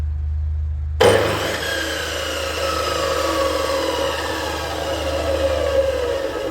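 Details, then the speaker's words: Profile saw (tile cutter) motor started before fitting a soft-start module: slams on with an abrupt hard jolt, then steady hum; owner fears it will break the internal gear; harsh direct-on-line motor start. "Görüldüğü üzere çok vuruntulu helal sert bir şeyle başlangıç yapıyor de öyle bir sert vuruyor ki"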